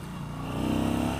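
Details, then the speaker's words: 2016 Yamaha Star Bolt V-twin cruiser, stock quiet exhaust, geared down under load: hollow, droning intake howl rising as it pulls in low gear, no roughness or knocking; normal intake howl under load. "Can I hear the intake? Yes, the intake is quite loud when you gear it down."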